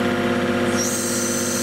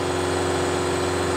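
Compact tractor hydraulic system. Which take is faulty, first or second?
first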